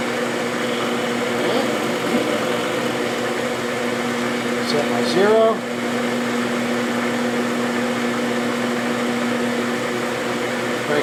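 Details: Hamilton 6" metal lathe, hand-fed, cutting soft material for a replacement half nut at about 50 thousandths per pass with a sharp cutter: even, steady spindle hum with a smooth cutting note, no chatter or squeal; normal cutting.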